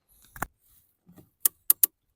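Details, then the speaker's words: Mercedes foot parking brake pedal, under-dash cover and OBD connector removed: three sharp ratchet clicks as the pedal is pressed but nothing catches, so the pedal comes back out; the ratchet mechanism is not latching and holding. "we can hear the click click click, but it won't stop, it's come out. See, that's the problem. You can hear the click click click, but it's not holding right."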